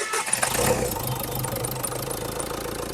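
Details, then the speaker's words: Renault Duster 4x4 diesel after engine overhaul, first start fully cold, air mass sensor wire disconnected and one pipe not yet fitted: catches quickly, steady even idle with no knocks or rattles, sounds fine. "बेटे, आगे बढ़ो। आवाज बिल्कुल ठीक है। आवाज में कोई समस्या नहीं है;"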